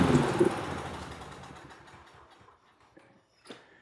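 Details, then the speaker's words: Troy-Bilt 21-inch mower with Briggs & Stratton engine that wouldn't start, carburetor cleaner sprayed into intake: catches in a short burst of firing then fades and stops; ignition and compression good, carburetor suspected to need rebuild. "All right, so she fired right up on carburetor cleaner. So it leads me to believe that carb's probably going to be needing a rebuild."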